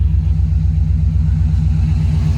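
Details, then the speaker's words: 2008 Subaru Impreza STI hatchback, modified, after engine repairs for a spun rod bearing, codes cleared and no check engine lights: deep lumpy boxer idle with an even throb and no knocking or tapping; sounds healthy. "so this sounds very very healthy man so very excited on how this all turned out"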